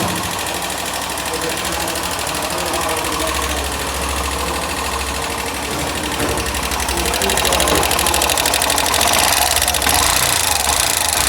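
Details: Hero Glamour BS6 motorcycle idling with an uneven tapping about three beats a second; abnormal engine noise, source unconfirmed.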